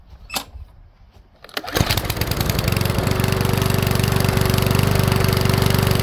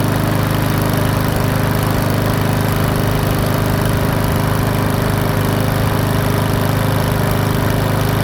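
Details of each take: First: Powersmart 170 mower with Briggs-type engine, hard to pull, started only after priming: fast uneven run with sharp pops, misfiring; owner plans to loosen valve clearance slightly, cause unconfirmed. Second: PowerSmart 170cc push mower after valve adjustment and bending the governor arm tab to raise speed from 2900 to 3100 rpm; smooth, even single-cylinder drone at steady speed, no misses or surging; running healthy.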